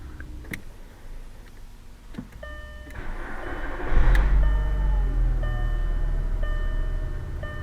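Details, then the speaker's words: VW Jetta with a likely broken ignition lock cylinder, started once the immobilizer coil reads the key chip: short crank catches at once and settles to a steady, even idle, dash chime beeping; normal start. "so I did read the key or it is reading the key so now I can at least drive the vehicle"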